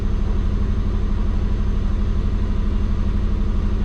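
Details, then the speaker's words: Warm, at operating temperature, the twin-turbo Subaru gives a steady, smooth hum at about 1400 rpm with no hunting, well above the expected 600; the owner suspects the injectors (pulse width around 0.8, minimum 0.6). High idle speed. "So yeah, we're at temp. Alright boys, so it's like idling at 1400."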